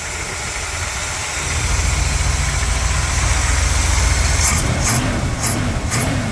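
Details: 1959 Cadillac Coupe DeVille V8 idling after carburetor tuning: even, steady low rumble, roughly four pulses a second, no miss or stumble; normal smooth idle.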